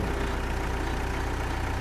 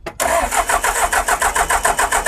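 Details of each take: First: John Deere 310G backhoe diesel, abandoned and long-troubled, running on its own power after repair while the loader is worked: steady, even low rumble, no knocks or misses; healthy normal diesel idle. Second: Abandoned John Deere digger with a new starter, cranked after refitting the ECM, with possible air in the fuel system: steady cranking at about three and a half beats a second for nine seconds, never fires. Cause unconfirmed.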